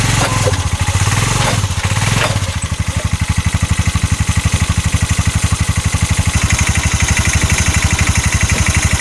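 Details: 2022 Massimo T-Boss 750 EFI UTV, heard from the back driving forward: rough heavy thumping about four per second under the engine note, knock under load; CV axles and U-joint tight, cause unknown.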